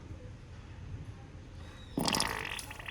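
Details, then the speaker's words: Ford New Ka, New Fiesta or EcoSport cooling system after a coolant flush: quiet, then a sudden gurgling burp and hiss as trapped air escapes the opened radiator bleed screw and the level drops, the normal sound of bleeding air. "Vocês viram um barulho de ar saindo né E ali baixou aí agora coloca a tampa coloquei a tampa quando para de sair bolha de ar que sai somente água é porque não tem ar no sistema mais ali o nível baixou"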